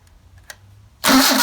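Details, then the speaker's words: Engine with 44PHH Solex carburetors, cold start on choke before warm-up. A brief quiet moment, then it catches at once and settles into a strong, steady run; started very nicely; normal cold start. "I must say they started up very nicely."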